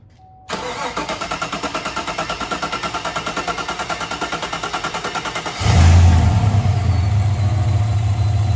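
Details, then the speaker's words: 2015 Chevy Silverado 5.3L after high-pressure fuel pump replacement for leaking seal: about five seconds of even cranking, three pulses a second, then catches into steady, smooth idle. "if it's hard to start or it kind of struggles for a second that's completely normal there's a little bit of air in the lines and it'll take a second for the lines to get primed"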